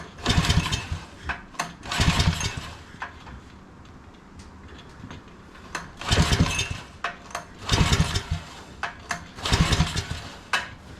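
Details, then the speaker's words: Old Generac barn-find generator, cranked after fresh gas, fires briefly then dies, cranking without running; a drill is tried to spin it faster. "okay let's uh see if we can get a drill or something on this thing to spin it over a little bit faster"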